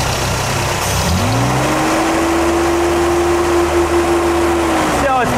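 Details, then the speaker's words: 1985 Toyota Celica GT, 2.4L 22RE, fuel pressure gauge at the cold start injector: the engine revs and drones, pressure drops, then it coughs a sharp intake backfire from a lean condition; fuel pump suspected pending power and ground checks. "too it's you hear that that pop that's an intake backfire that's a lean condition dropping pressure lean backfire this is a fuel pump problem"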